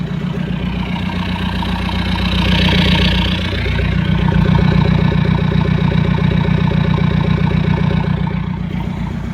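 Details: VW Golf Mk4 TDI PD 150 (ARL) diesel: loud, even chuffing pulse about 2.5 per second mainly from airbox area, rising with revs; also low power, mixed smoke, boost dropping 2 to 1 bar above 3k rpm, heavy breather blow-by.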